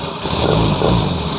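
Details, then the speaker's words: 2016 Honda Scoopy FI, kick-started because the battery is weak, after repair of rough running and intermittent ignition: even, steady engine note with a smooth quick pulse, no misses; starts with one kick and the rough sound is gone. "Jelas ya, sekali engkol aja motornya sudah oke. Jadi suara yang tadi kita katakan suara kasar pun hilangnya."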